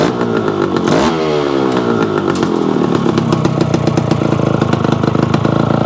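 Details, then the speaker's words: Yamaha AT-1 converted to CT-1 two-stroke, first start after wiring, oil pump priming and carburetor gasket fixes: one sharp throttle blip, then a crisp even ring-ding idle with no misses; runs properly. "Okay guys, there you have it. The AT-1 to CT-1 runs. Sounds pretty reasonable."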